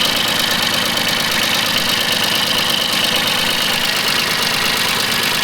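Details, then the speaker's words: Mitsubishi MT200 mini tractor diesel after a full engine overhaul, break-in done, breather no longer venting, idling: steady even clatter with no knock or surging; the engine is quiet and healthy. "Бачите, не сапунить вже обкаточка пройдена. Зараз ще раз показую пасік. Супер. Шепоче двигун."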